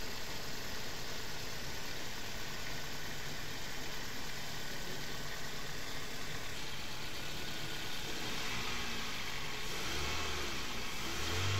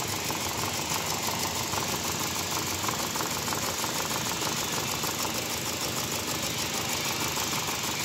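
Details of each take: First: Car engine overhauled for missing and no pickup, first start after the rebuild: an even idle, slightly loud and fast until tuned, picking up cleanly with no knocks or misses; normal idle and revving. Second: Car engine with no pickup and a missing complaint, before coil and injector checks and overhaul: uneven, thin idle with an irregular stumble every few beats; a cylinder misfiring at idle.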